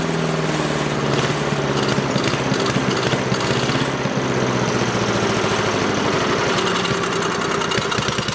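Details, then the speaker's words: Craftsman 5 hp wood chipper, sat 3 years, after cleaning out the rusted gas tank eaten by rancid fuel: rapid, even single-cylinder putter at steady speed, no knocks or hunting, very smoky. Engine running normally. "Oh, that was good. I like that. Very cool. Very smoky though."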